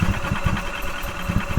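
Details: 2012 EZGO TXT gas golf cart, crank no start after parking, fuel smell: short bursts of starter cranking, low chugging that never catches. Spark confirmed with inline tester; fuel delivery problem suspected, compression check planned. Cause not confirmed.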